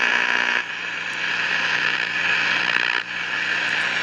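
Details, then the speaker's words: 1953 Crosley AM All-American 5 (AA5) tube radio, no antenna, tubes warming, radio/phono switch on back: constant loud roar over low hum with brief dips, no reception; not silver mica disease, as pulling either of two parts silences it; oscillator suspected way off frequency. "and it's not silver mica disease because if I pull this out or this out it goes totally silent so it's like the oscillator is running way off frequency"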